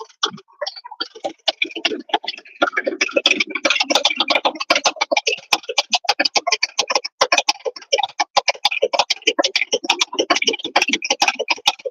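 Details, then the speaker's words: Car A/C compressor replaced a year earlier: fast, uneven sharp ticking while the A/C runs; the compressor feels bound when turned by hand and makes a strange noise. "el compresor lo trato de girar y como que está amarrado y hace un ruido muy raro tanto que el cliente dice ya no la quiero mover"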